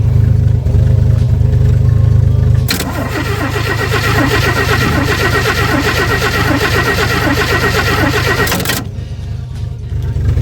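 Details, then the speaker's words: 1964 Chevy II Nova straight six after sitting about a year, gas pumped: slow even cranking for a few seconds, then catches into steady, super smooth idle; starts normally. "Pump the gas a little bit. I got it. There she goes. Yeah, buddy. Well, that was easy. can't believe how good it runs. It's super smooth."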